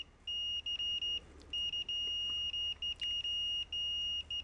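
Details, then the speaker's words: Fluke multimeter in continuity mode during automotive fuse testing: an intermittent high-pitched beep still sounds at 99–100 ohms, and the beep threshold is about 120 ohms. "Sounds like Morse code. 97 98 99 We're still beeping at 99 ohms on this very expensive fluke."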